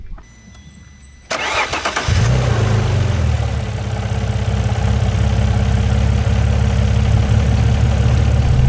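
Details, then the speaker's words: Alfa Romeo 156 GTA, 3.2 V6 Busso, after engine work and bending open the disc flange that was suspected of rubbing: starter cranks, then the engine settles into a steady, even idle, nothing new heard; running healthy. "nu toe goed kunnen horen . Niets nieuws, wat goed is."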